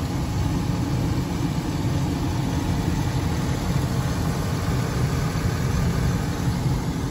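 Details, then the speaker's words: 2003 GMC Sierra Denali with Quadrasteer, about 20 years old, heard at idle under the open hood: smooth, even low rumble with no knocks, ticks or pinging; normal idle. "hopefully you can hear the engine there's nothing abnormal no knocking no pinging everything sounds the way it should which is exactly what you're looking for when you're buying a a truck of the this kind of model year 2003"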